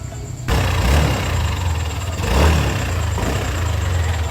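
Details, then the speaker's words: Yamaha Aerox V2 engine before overhaul: low uneven drone with rough rattle; crankshaft and camshaft bearings later replaced. "So, yung tunog ng makina kanina nung bago natin gawin tong Aerox version 2 na to."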